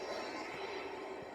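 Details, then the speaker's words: Jeep Wrangler YJ axle, wheel spun by hand after light hammering to clear a rub mark: light, steady whirring scrape with no grinding or binding; spins easy and doesn't drag. Normal brake pad noise. "That's fine. That's regular brake noise. Spins easy, doesn't drag."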